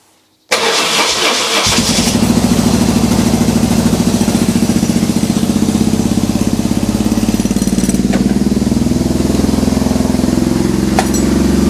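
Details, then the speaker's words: BMW R 1150 GS twin, started cold with a little choke after wiring harness and cracked Hall effect sensor wiring repair: short starter crank, then fires and settles into steady, even idle with regular exhaust pulses; normal start and idle. "but the bike started fine"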